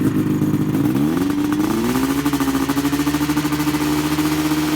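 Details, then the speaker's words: Polaris XC 700 two-stroke snowmobile with aftermarket pipes, before the carburetors were pulled: crisp buzzy rev climbing quickly, then a high, slightly pulsing drone with no bogging; engine running lean. "She's lean. So we're gonna get that figured out."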